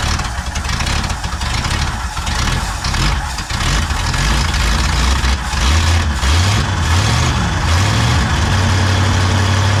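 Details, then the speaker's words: Pontiac V8 on freshly rebuilt Holley 600 vacuum-secondary carb with new float valve, float bowl just filled: lumpy uneven idle stumbling and surging; timing well retarded and float set too high, sticking and flooding the carb. "running like crap. That's why. Sometimes those floats just stick. They're new and dry."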